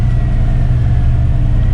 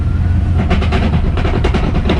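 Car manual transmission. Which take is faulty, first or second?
second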